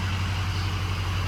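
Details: Ford 6.0 Powerstroke diesel after replacing cracked number 4 injector, hot restart after a few minutes off as head gasket check: deep, even diesel rumble with smooth regular pulse, no knocks or stumbles; healthy warm idle.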